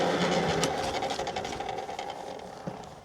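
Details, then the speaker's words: Tuttio Soleil 01 2000W electric dirt bike: a raspy buzzing whir with a fast rattle, fading as it slows. The chain rubs its guide when a light rider doesn't compress the suspension, and it stops with a heavier rider. "That's the that loud noise is the chain rubbing the chain guard."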